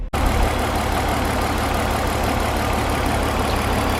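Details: BMW E46 323ci with a no-start and misfire fault, hissing also heard, spark plugs to be changed next: idle with a faint, regular stumble in a steady hum; misfire at idle suspected, cause not confirmed.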